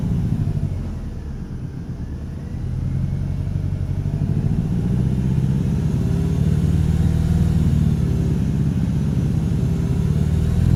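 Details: 2013 Dodge Dart SE 2.0L four-cylinder revving: deep, throaty rattle-like rumble, almost V8-sounding, most pronounced between 2,500 and 3,000 rpm.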